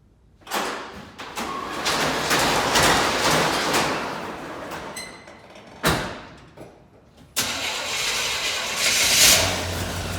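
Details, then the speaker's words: 1987 Chevy Suburban engine after water pump replacement (bad gaskets, broken bolts), running on plain water to check for leaks before a 50-50 antifreeze mix: brief crank, prompt catch, steady even idle with no knocks or squeals; normal start and idle. "So we'll just fire it up, let it warm up. And once I know it's leak-free, I'm going to dump the water and mix it 50-50 with antifreeze."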